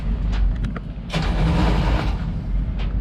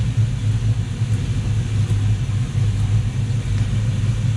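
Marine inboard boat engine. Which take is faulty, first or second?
first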